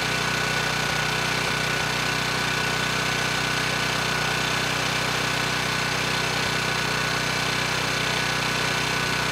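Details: Ridgid 5700 W generator (RD905712), Yamaha MZ300 engine, dump find with 1500 hours; started first pull on a cold day, warming up before load: even constant-speed drone with clean firing rhythm, no rattles; normal running.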